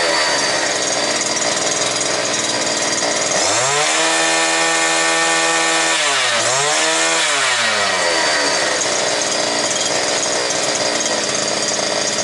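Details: New two-stroke brush cutter, previously not starting, running bare without shaft, gearbox or line at full throttle, about 9900 rpm, just under 10,000, judged normal by sound. High scream held, dipping briefly and climbing straight back; clean, even, healthy high rev.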